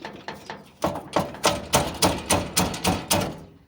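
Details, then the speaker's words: VW Fusca (Beetle) with engine off, rear bumper shaken by hand: loud hollow clunks about three per second from the loose rear bumper bracket, the same noise heard over bumps and potholes. "Então, quando passa em lombada, passa em buraco, é esse barulho aqui que eu ouço, ó. É muito barulho mesmo."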